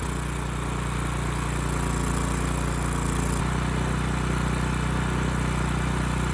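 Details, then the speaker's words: Ridgid generator with Yamaha MZ360 engine, about 10 years old, unused 4 years, with loose carburetor adjustment screw and suspected vacuum leak: steady even hum at constant speed, no hunting or misfire; speed and power output good; normal running. "Otherwise, you know, engine sounds good, speed's good, power output's good, so we're in pretty good shape."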